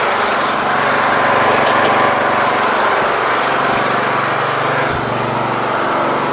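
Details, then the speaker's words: Troy-Bilt Super Bronco Pony lawn tractor (17.5/20 HP Intek, 42-inch deck) after a carburetor swap, having run terribly after sitting all winter; now a steady, even drone at constant speed with no stumble or surge. "sounds good sounds good fuel shutoff just in case"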